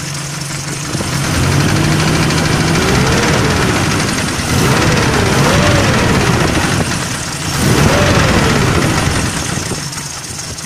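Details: GAZelle van with ZMZ 405 petrol engine suddenly started knocking, idling: steady sharp knock about four times a second; hydraulic lifters checked fine, knock caused by a foreign object in a cylinder.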